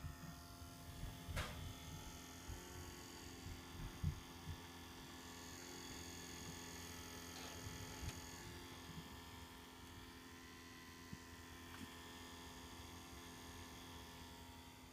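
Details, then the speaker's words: 2003 Seat Leon Cupra, engine switched off: steady low electrical buzz with faint whine from the engine bay that disappears after 10-15 minutes; owner suspects the alternator, not confirmed. "Okay, I don't know what it is, but I think it's the alternator that's making a noise. Engine switched off."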